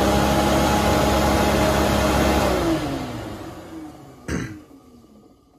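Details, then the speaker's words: Mk1 Volkswagen Cabriolet coolant fan, tested by jumping the three-pin fan switch connector after the car ran hot; steady whoosh with humming tone on high speed, then winding down as power drops; fan works, switch suspected. "and you see the fans running at a low speed and when you go to the end end one we're gonna go to the high speed"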